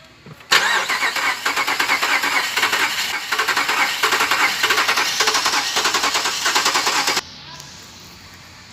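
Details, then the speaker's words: 2014 Dodge Durango, crank no-start: starter cranks evenly about three turns a second for six seconds, never catches; power at injector, coil and fuel pump, but no fuel from injector, found stuck when bench-tested. "Durango 2014 Customer complain, engine wont start"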